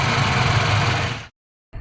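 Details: 1995 Suzuki Escudo, fully hot, after thermo (fast idle) valve clearance adjusted: steady, even low idle with no knocks or misses, briefly cut then resuming; normal hot idle.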